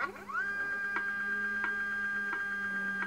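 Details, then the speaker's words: iOptron CEM40 equatorial mount (erratic RA guiding traced to the drive belt), powered up with covers off, declination axis slewing at maximum speed: steady high motor whine with a soft tick about every 0.7 s; damaged drive belt noise. "see now that noise is in the deck axis"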